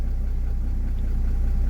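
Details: Mercedes-Benz C-Class W204 after diagnosing a crank-no-start, now running: steady low idle with an even firing beat, slightly lumpy now and then as it hadn't run for a long time, otherwise settled; normal idle.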